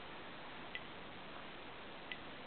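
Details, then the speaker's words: Homemade 12 V electric fence charger (NE555, BD140, BU208A) at highest power setting: sharp single transformer clicks about every 1.4 seconds over a quiet background, the charger pulsing normally. "now let's crank it up to its highest setting maximum power you can hear it transformer clicking and look at this voltage"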